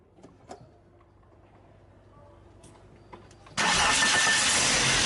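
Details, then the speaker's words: 2003 VW Passat TDI, AVB engine, after starter Bendix drive cleaned, greased and oiled: brief clean crank, engine catches straight into steady run with no grinding, starter sound smoother; normal starter cranking. "صوته كيف تبدل، ما عادش فيها كتغنغينه هذيك يعني، ولا صوته يعني ارطب، والموتور يخدم عادي ما فيش حتى شيء."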